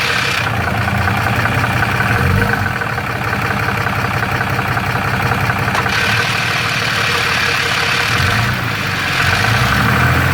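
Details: Third-gen Ram 6.7L Cummins with Jasper transmission, fairly new torque converter, converter bolts checked tight: steady diesel idle with loose uneven rattle from the bell housing; owner suspects cracked flex plate or torque converter, unconfirmed.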